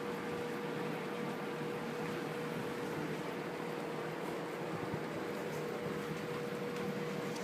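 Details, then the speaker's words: Rex Air Controls window fan after replacing the old Westinghouse motor with a 1/4 hp 2-speed Emerson motor, spherical bearings shimmed with rubber gasket strips, running on low: steady even hum, soft airflow, no rubbing or ticking; normal. "This is on low."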